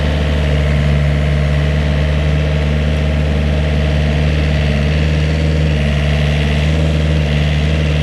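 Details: Vineyard post driver (pile driver) planting posts in new vineyard, mid-May: loud machine, engine held fairly high in revs with very loud pneumatic hammer pounding; deep steady diesel-like drone, no knocking or hunting; normal operation.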